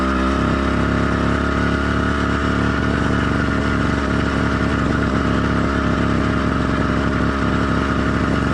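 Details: Cheap single-speed motorized bicycle kit two-stroke engine with single-circuit carburetor after warm-up, not yet heat-soaked: steady, buzzy even drone, smooth with no knocks; light four-stroking here is normal for a stock or lightly modified motor.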